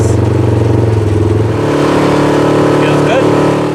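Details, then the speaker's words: 2017 Polaris RZR XP 4 1000 after a frame-up rebuild with a new thick drive belt, pulling away: smooth drone rising with revs, and the earlier high-pitched CVT clutch whine is gone; belt not yet broken in. "it works it's Doney and that noise that high pitch wind from the clutch that's gone too so he'll be happy about that"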